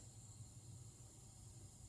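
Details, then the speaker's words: Compressed air leaking after pressure was brought up to 100; steady soft hiss over a low hum, still leaking after topping off. "Apparently, guys, everything around here is leaking. We were up to 100. Can you hear that?"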